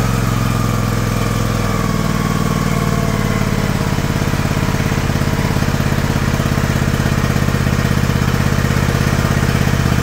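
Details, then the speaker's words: John Deere LX178 mower, previously running very rich and leaking gas, just started on choke after carburetor replacement, throttle cable disconnected: steady even low putter at idle, no misses or surging; idle speed about to be lowered. "all right isn't that nice I'm going to look at see if I can slow that down a little"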